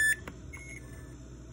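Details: Samsung RB215LASH refrigerator: a loud high-pitched door alarm beep, then fainter beeps over low room hum; the alarm keeps going off with the doors shut. Owner suspects a fault and considers cutting the alarm wire.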